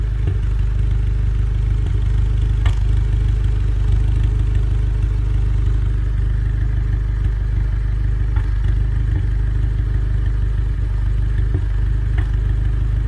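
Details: VW Golf R20 at idle: deep, uneven idle with an irregular stumble and missed beats under a steady low drone; engine misfire.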